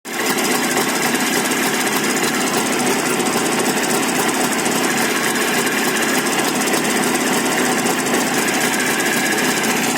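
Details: Jawa 634 two-stroke engine at steady speed: harsh, busy clatter with a rapid metallic knock over the whole run; engine knock, source not pinned down.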